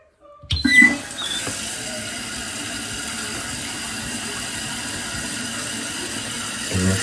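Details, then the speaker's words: Toilet tank refilling through a newly installed fill valve and flapper after the water is turned back on; a short clunk, then a steady soft hiss with no squeal or chatter. Normal refill. "All right, so up here it's filling up. We're gonna see where it stops at."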